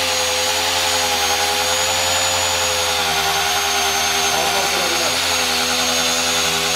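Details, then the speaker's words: Circular saw cutting stock at the limit of its depth capacity with an unsuitable blade. Loud high whine drops slightly in pitch as the motor loses rpm. Burn marks left on the cut. Motor bogging under load. "Ah, franchement, je m'attendais à... On entend le moteur qui descend en tour minute. Je pensais que ça allait être pire."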